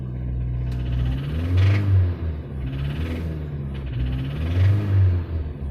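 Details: Mini Cooper S R53 supercharged petrol engine revving with a rough, uneven rattling knock under the deep rumble; came on suddenly while cruising. Owner suspects possible engine failure, unconfirmed.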